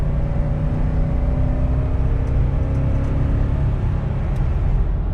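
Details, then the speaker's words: Suburban after a tune-up with a new distributor cap to fix a spark timing issue, on the road: smooth, even engine drone, no stumble or miss, power and response restored; owner notes a slight whine, suspects a pulley bearing. "we got the speed now boys she's got a power back I feel so much better now I don't even you guys don't even know but it feels more responsive and that sounds better"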